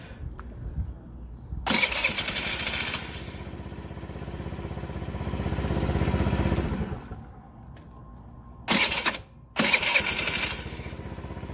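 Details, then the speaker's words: TaoTao 50cc Chinese scooter, 3,693 miles, bought not working: repeated electric starts with the cover on, each whir catching quickly into a smooth idle without grinding. Bendix and starter are fine, though there is a little noise on startup. Normal electric start. "so let's uh kick this over a couple more times and make sure it continues to work to get the kill switch and it sounds great with this cover on so I'm pretty sure the Bendix is fine I know the starters fine"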